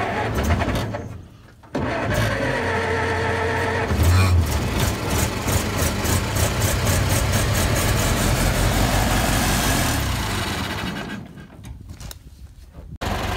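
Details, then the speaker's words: Vintage Ford parade car, sat outside under trees then cleaned up: brief crank, then the little engine catches and settles into an even, steady low putter at idle; healthy start. "sure L we will fire it up and you can hear that little engine come to life"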